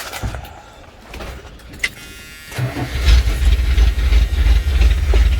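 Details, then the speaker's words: 1981 Dodge Ram D250 5.9L V8, cold and first start of the day, just after replacing and torquing the motor mounts: catches after a few cranks and settles into a deep, even idle. Vibration far less than before; normal start and idle. "I'm not feeling vibration there as bad as that."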